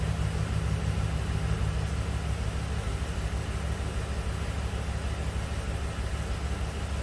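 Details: 2011 Ford F-150 XLT 5.0L V8, flashing check engine light, wrench light and torque converter clutch codes, K&N intake: low, lumpy idle about two pulses a second with one cylinder dropping out; plugs and coils 6 and 8 swapped, cylinder 8 suspected: misfiring idle.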